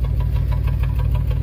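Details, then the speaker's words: 1994 GMC Jimmy 4x4, 4.3 V6 CPI, 191,000 miles, sat six years, true dual exhaust, after the vacuum leak was fixed: lumpy idle with uneven chuffing and dropouts, misfire on the passenger-side bank. Owner suspects a bad, loose or chewed plug wire; unconfirmed. "There's one thing about True Dual exhaust is you can tell which bank it's at. So it's the passenger side again."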